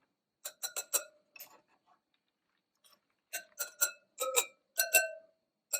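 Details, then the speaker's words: Rear wheel spokes of a 2018 BMW R1200GS tapped one by one: most give a clear bright ping, some sound dull and short; 14 loose spokes on the rear. "that's 14 on the rear that are loose"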